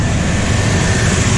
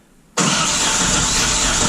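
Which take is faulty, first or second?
second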